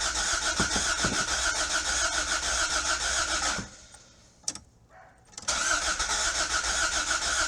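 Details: 1986 Toyota MR2 AW11 parts car with no fuel reaching the engine even after the fuel tank was replaced, with a gas smell present; the starter cranks at three or four beats a second, pauses and cranks again, but the engine never starts.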